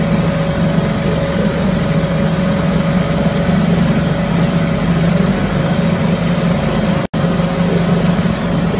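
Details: 1974 US-made Mercury 4 hp single-cylinder two-stroke outboard, revived after long storage, running after reassembly: steady, even buzz at constant speed with no misses or knocks, runs like a top; normal running.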